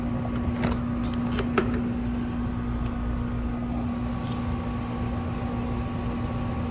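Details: Trane AC unit on R410a: steady compressor hum with constant low tone and fan rush, no warm air from outdoor unit; system low on refrigerant charge, barely high enough to stay running. Low refrigerant charge.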